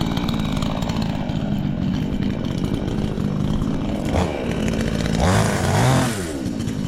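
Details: Chinese counterfeit chainsaw sold as a Stihl (MS 461), newly assembled and first start attempt: saw fires and holds a buzzing two-stroke run, then blips up in pitch a couple of times; starts and runs fine.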